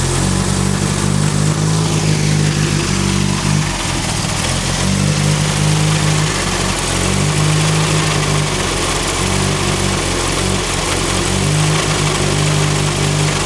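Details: Turbo Ford Focus with new coil pack: idle wavers and lurches every couple of seconds, lumpy uneven beat, also misses under boost; suspected misfire from plug wires or cylinder 2 injector, unconfirmed.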